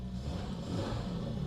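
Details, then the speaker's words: Princess 2200 six-cylinder vintage car after compression test and valve clearance check, mic inside the cabin: even, steady, heavy low rumble with smooth rise in revs, no knocks or misses; engine runs healthy. "the mic is inside the car so maybe you cannot hear it but it is really it's heavy"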